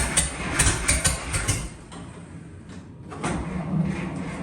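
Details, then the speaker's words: 1941 Dodge half-ton pickup, first run after 39 years sitting, with the carb cleaned, a 6V battery on a temporary clip wire and a temporary fuel system: uneven mechanical chatter over a low rumble, a few ticks at first, then it settles into a steady normal idle. It ran about 10 minutes; rusted internals were found later. "hey we're running okay well we just had a run in there for for probably 10 minutes"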